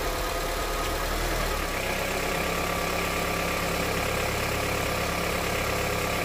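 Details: Honda CR-V, 200,000 km, warm engine, first start after changing to thicker 10W-40 oil on the old filter: steady, rapid knock under the idle drone that thicker oil hasn't quieted; engine knock, source unknown.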